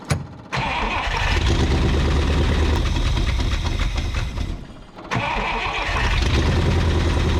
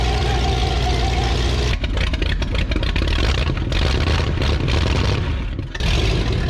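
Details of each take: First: 1962 Buick Invicta wagon, first run after 53 years in a salvage yard, on a temporary fuel hookup at the carburetor; fires and holds a fast, steady run that never drops to a slow idle despite a brief dip. Idle won't come down; cause unconfirmed. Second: 1962 Buick Invicta wagon V8, 53 years in a salvage yard and thought seized, first start on starting fluid poured over the carburetor: catches and revs hard, deep rough bark rising and dipping with throttle.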